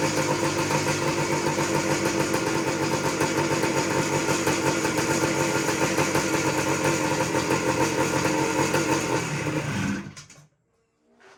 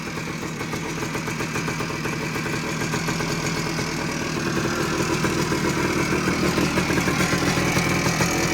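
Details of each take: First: 1979 Suzuki PE250 two-stroke, stored for years, no air filter, cold; fast crackling beat holds about ten seconds then fades and dies when taken off choke, likely just needs warming up; cold engine stalling off choke. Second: 1979 Suzuki PE250 two-stroke, revived after sitting a couple of years, 40:1 premix, not yet rideable (no clutch cable): steady even idle with slightly rising burble, no hunting or surging, owner finds no air leaks; normal idle.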